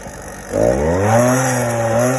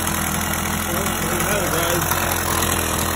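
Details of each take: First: Upgraded 50cc single-piece-jug two-stroke motorized bicycle engine, good for 34 mph, started in cold weather: it catches and idles with a wandering, hunting pitch while settling; the owner suspects it runs a little lean and later moves the needle clip richer. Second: 50cc single-piece-jug two-stroke motorized bicycle engine, about 3,000–4,000 miles, cold day, just richened after the clip was moved, ticks over with a steady buzzing putter, no misses, surges or knocks; healthy normal idle.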